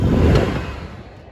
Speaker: also makes this really cool sound - when you start it off on high you just hear it first split second